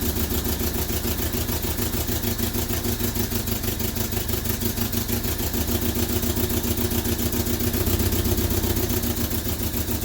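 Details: Vauxhall Viva HC barn find running steady and even with smooth low rumble, no misses or knocks, after fitting a new fuel filter; fuel-pump-to-carb pipe possibly blocked, to be cleaned.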